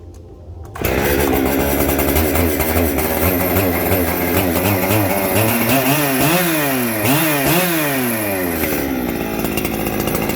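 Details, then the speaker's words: Echo 7310 chainsaw, two-stroke, rebuilt with new piston and coil: buzzes well above normal idle, pitch wandering without settling; runs fine until warm, then an air leak suspected, possibly an overheated crank seal. "So let's fire it up and see if it'll sit here and idle until all of a sudden it'll just peak up and it'll start idling real fast like it's about to run out of gas."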